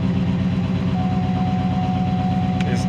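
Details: 2010 GMC Sierra 6.2 V8, 179,000 miles: lumpy idle with a regular tapping knock a few beats per second following engine speed; misfire on cylinder 2, failed lifter and dead cylinder.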